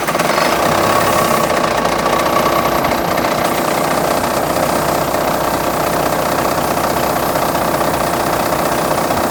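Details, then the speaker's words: Semi truck diesel with a 24-volt starter fed by batteries switched into series while cranking: it catches at once and settles into a steady, even idle clatter with no misses. Normal idle. "Well, let's see how this one fires up now. That ain't too bad."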